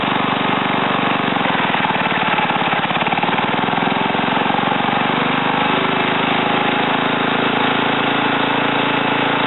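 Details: Ariens TA20A Trans-a-matic rototiller, single-cylinder engine rebuilt and clutch repaired, carburetor untouched, tilling ground; fast even steady beat under load, no misfires, surging or knocking; normal running.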